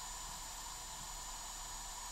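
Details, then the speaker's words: ECO 6-10 balance charger charging a 10,000 mAh 4-cell pack at 10 A (168 W) from 350 W supply, near balance stage, temperature at 140, right at thermal cutoff: steady high-pitched whine over constant fan hiss as it overheats. "So, it's going to start its thermal cut off right there. So, you can hear it whining. Um, which is pretty annoying in these chargers."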